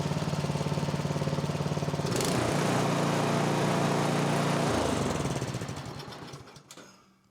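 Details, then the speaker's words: Repaired snowblower (MTD) single-cylinder engine, about 2–3 years old, started without choke after the carburettor was sorted: even, steady beat, then winds down and stops; runs smooth and healthy. "Runs like a champ. Almost like it's supposed to run like that. Who'd have thought?"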